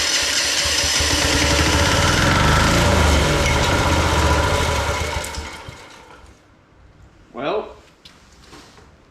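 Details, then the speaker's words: Old military Yanmar diesel portable air compressor, after a fuel-system overhaul, new air filter and compressor oil top-up, first start with an exhaust nut missing. It catches and runs evenly about five seconds, then sags and dies. Cause unclear; the owner doubts the exhaust. "it shut off [Music] it's done for some reason again"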